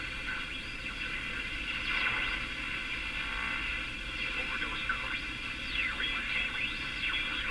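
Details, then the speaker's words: Canadian Philco #57 tube radio being tuned across stations: hiss with rising and falling swooshing whistles; owner suspects the IF stage oscillating from transformers tuned too high, unconfirmed and possibly interference. Swooshing whistle while tuning. "Okay, so there's a swooshy sound that I really want to go after there. two of them or is that just interference? I need another radio to compare to be sure. Here's another station. So, I can hear the sounds swooshing through there."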